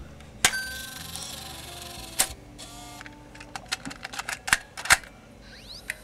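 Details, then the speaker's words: Canon Vixia HV40 HDV camcorder, probably unused for years, MiniDV tape loading: sharp clicks and short motor whirs in an uneven stop-start cycle, showing a remove-cassette error; loading jams, with a very loose pinch roller and locking pin noticed. "come on please work oh no remove the cassette okay that doesn't sound good"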